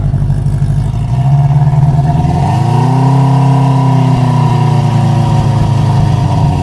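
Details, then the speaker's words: 1973 Honda CB350 Four, new plugs and fresh gas, started on choke: engine climbs and holds a raised steady speed instead of settling; idle screw was turned fully in, at highest idle, believed backwards. "that was cranked in the highest idle it can be at the lowest idle"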